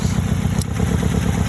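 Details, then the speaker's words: 2001 Nissan Sentra idling roughly with an uneven, lumpy low beat, dropping to two cylinders with coil packs unplugged during backyard coil pack diagnosis; number one coil pack suspected bad after swapping it with number two. "right notice that changing the sound of the demoted air it dropped down to two cylinders"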